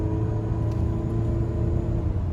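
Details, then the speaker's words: Used four-cylinder car on a pre-purchase test drive, accelerated gently from a stop while RPMs and shifts are watched: steady low engine drone with no flare, clunk or slip between gears. Normal, smooth automatic transmission upshifts. "I want this transmission to shift properly okay so I'm paying attention to the RPMs and I'm also paying attention that got one shift"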